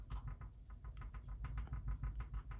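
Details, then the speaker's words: Corsair K70 RGB Pro keyboard, new, on a possibly uneven countertop: light rapid plastic clacks with gentle presses as the board rocks on one higher foot; wobble, owner unsure whether keyboard or countertop is at fault. "I'm not like tapping really hard. I'm just resting my finger on and pushing down a little bit. One of the feet's higher than the other, but it might just be the countertop."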